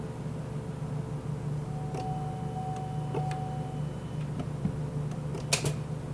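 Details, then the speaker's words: Cadillac SRX, towed in, on jump box and charger: a few dry clicks over a low steady hum when the key is turned, engine never cranks; starter or other fault suspected. "I'm going to try it again I don't know if the starter is bad or something is bad in here but clicked again"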